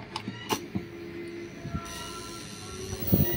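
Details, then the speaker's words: CRT TV at power-up with the case open: a thin steady tone with sharp irregular ticks and clicks traced to the switching (supply) transformer, while the flyback seems fine; power supply chirping. "kelihatannya flbacknya aman teman-teman ya ini bersumber bunyinya itu dari trapo switching ini ya nih saya dekatkan lagi ini ya tuh"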